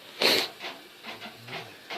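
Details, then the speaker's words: Three-day-old LG WT4870CW washer after about five loads, on hot normal wash cycle, half-full regular load, short scratchy squeaks about every third of a second while agitating; owner suspects suspension bars, source unclear. "this is my new LG washer it's only about 3 days old I've done about five loads through it and it started squeaking bad sounds like it's coming from this corner that I can't tell"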